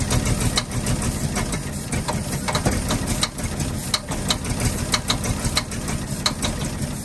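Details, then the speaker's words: 1948 Ford F-5 ice truck six, not run in 45 years, rough idle after first start with sharp popping tick; number six lifter believed sticking on its spring and popping back, not a rod knock. "that popping noise is not a knock it is that one lifter it's number six I believe and it's a it's catching with the spring then popping back down so that's what the knock noise is"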